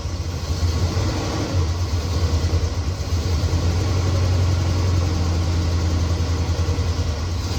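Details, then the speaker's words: 1969 Chevelle SS big-block V8, sat 37 years, restarted after loose spark plug terminals were tightened: deep idle burble with a slight uneven lope and wavering loudness, better than before but still not smooth; possible misfire, owner will heat-gun check header pipes. "It's not running perfectly smooth. It's running better than it was,"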